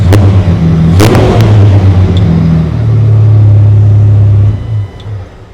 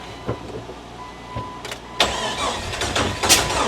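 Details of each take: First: 2002 Jeep Wrangler 4.0 liter, crank and cam sensors connected, no throttle given: fires instantly on a short crank and settles into a steady, even idle with no misses before shutting off; healthy start. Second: 2002 Jeep Wrangler 4.0 liter, no exhaust past the resonator or muffler, sensor just refitted: uneven cranking with sharp pops every second or so and no clean catch; timing off, firing back through the intake from a bad crank sensor.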